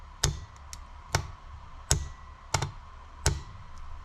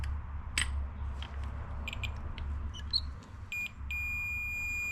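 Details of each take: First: 1993 Ford Explorer starter (fender) relay on a 12 V bench supply: five sharp clunks over a low hum as the coil pulls in, but there is no continuity across the terminals, so the contacts never pass current to the starter. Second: 1993 Ford Explorer starter (fender) relay after cleaning the corroded contacts: clear multimeter continuity beeps over a low hum, showing the relay contacts now conduct properly.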